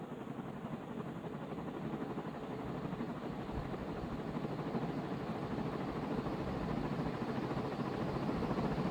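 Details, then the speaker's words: Vintage Dayton 4C721 60-inch industrial ceiling fan, heavy cast-iron motor, aluminium blades, started from off straight to high: smooth air whoosh building slowly to speed, no knocks or grinding; normal spin-up. "and it surprisingly still takes a while to get up to speed from high well i guess not surprisingly because it's really heavy"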